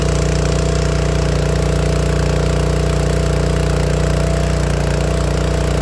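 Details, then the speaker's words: Honda GX160 on a log splitter, carb cleaned and air cleaner replaced with no change: steady single-cylinder thumping that pops and coughs once warm, sometimes dying; cause a failing, blackened spark plug. "the popping it kept popping when the motor will get warmed up well that's the sound of a spark plug failure this spark plug was failing on me"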